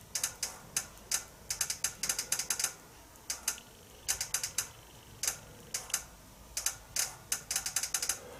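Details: Nissan automatic transmission with fault code P0745, pressure control solenoid A: irregular clusters of sharp, light ticks with no engine running, the solenoid clicking as it is pulsed.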